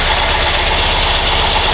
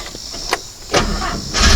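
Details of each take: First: Porsche 912, Dellorto DRLA carburettors with update kit: steady even idle with a smooth low beat and constant hiss, no misses or knocks; idling cleanly while the generator output is checked. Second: Porsche 912 with Dellorto DRLA carburettors, recurring problem on every start: engine catches and stumbles in uneven lumpy surges instead of a steady idle; clogged carburettor idle jet starving it, usually cured by cleaning the idle jets.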